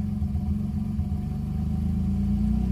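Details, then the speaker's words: Manual car rarely driven, started with an AUTOONE 4500A jump starter, fired right up: even low rumble with steady pulse holding speed, no misses or knocks; idling normally. "holy crap Hey listen to my little baby leave it running a little bit baby"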